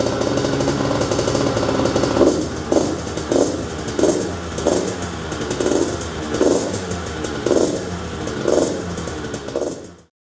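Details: 2000 Honda CR125 two-stroke: crackles just above idle with throttle blips about every 0.6 seconds, crisp and free of knocks or rattles; engine runs healthy.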